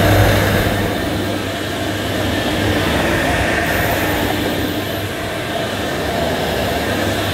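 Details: Electrolux 502 upright vacuum, about 40 years old, just unclogged and still needing a new belt, brushes and filters, on carpet; a steady roar with a low brushroll rumble, no stalling or surging: motor and agitator running normally.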